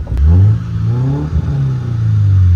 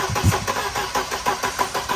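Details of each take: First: 1992 Mercedes 190E 2.3 four-cylinder Evo II replica on its first drive: smooth rising engine note pulling cleanly through the revs under acceleration, no knocks or misses; slow but sounds good. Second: 1992 Mercedes 190E 2.3 being built as an Evo II replica, test start after new distributor cap, rotor, plug wires and plugs: steady starter cranking at about three compression pulses a second with no firing; no spark, from a shattered distributor rotor.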